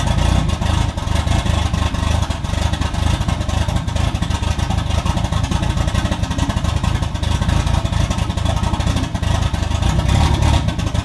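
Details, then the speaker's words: Toyota 2JZ-swapped BMW E36 on stock ECU, first test drive after radiator, fan and driveshaft work: rough, uneven engine note under acceleration with ragged stumbles and clatter as it pulls; engine breaking up, likely a misfire, owner suspects bad MAF sensor. "okay so as you guys could tell the car was still breaking up really bad when we took it for the test drive so i'm still pretty sure the math is bad"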